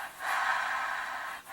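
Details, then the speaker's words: Hoover Tempo Widepath vacuum motor shaft spun by hand during teardown: soft, even whir, the bearing sounds smooth with no grinding, though the commutator is blackened and scratched from brush arcing. "Actually, it doesn't sound too bad."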